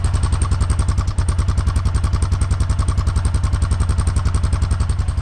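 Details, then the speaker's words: 2008 Honda Foreman 500 ATV idling: steady single-cylinder thump about 210 beats a minute with a brief misfire-like hiccup; owner suspects carburetor may need adjusting, cause unclear. "almost like a misfire. So anyways, it's doing that, which is not a big deal. I mean, it could just need to be, the carburetor need to be adjusted or something."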